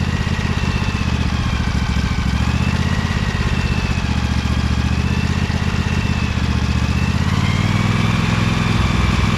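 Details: Little Wonder hedge trimmer, Briggs Vanguard 23 hp V-twin, after primer bulb replacement and carburetor clean, started choked at low throttle with brake on: even low putter, steady beat, no misses, surging or knocking; runs nicely now, normal.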